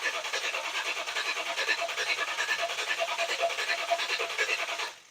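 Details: V8 Chevy S10 with new Powermaster starter and new fuel line, fuel pressurized: rapid even starter whirring at about three beats a second with no firing; cranks but no start, spark being checked, cause unconfirmed.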